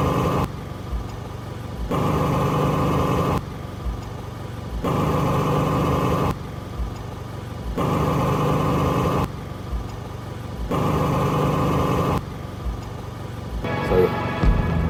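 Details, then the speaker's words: 2009 Toyota Vios Gen2 at idle with the air conditioning on fan setting 1, after the compressor fix: only the fan whooshing in a regular cycle is heard and the earlier compressor noise is gone; the AC sounds healthy. "So narinig nyo na lang ay yung fan. So wala na po yung ingay ng ating compressor."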